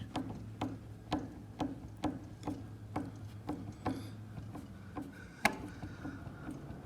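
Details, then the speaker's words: Ford F250 front wheel rocked by hand gives light regular clunks from loose wheel bearing play; the spindle nut had a lot of play and was then snugged to adjust the bearing. "there's a little bit a little bit of play here it's gonna be hard cuz cameras wiggling you can kind of hear it clunking"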